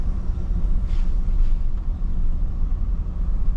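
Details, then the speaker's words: Cadillac Escalade on a slow drive after replacing the bent left rear caliper bracket that caused an alignment issue and noises: low, steady road rumble with no whine, clunk or grinding, even while braking; quiet rear axle. "let's listen i don't hear it don't hear it while breaking very good success"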